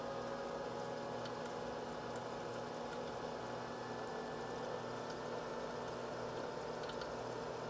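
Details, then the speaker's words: H220 liquid CPU cooler pump running steady at 2947 rpm, near max, with no case or radiator fans so coolant and reservoir are warm, side panel off; smooth light whir with faint coolant trickle, no grinding or rattle: normal pump running. "right now it's running at a steady 2947 rpm it's pretty much maxed out right now"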